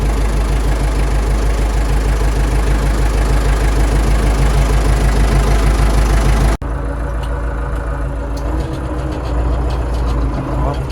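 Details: Hattat A110 tractor diesel, first start after winter with fuel primed, started right away: steady, even clatter at settled low idle, regular firing, no knocks or misses; engine runs healthy.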